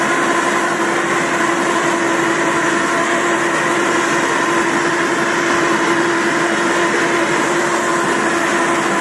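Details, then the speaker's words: Samurai rotary mower, 1.40 m cut, hydraulic cylinder removed, run in third speed with high rotor rpm: steady loud drone with a fixed mid tone, no knocks or grinding; the chain drive is just noisy and runs normally. "косилка страшная гудит она страшно Но не надо этого бояться"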